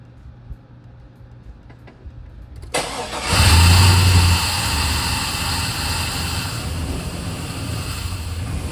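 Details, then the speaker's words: Work truck after roadside breakdown repair, top cover off, checking for leaks: short crank, catches straight away, flares up then settles to steady even idle with no knocking, no leaks, water flowing; running fine. "So I think we're at the point now we're gonna crank her up and see what happens. See no leaks or anything."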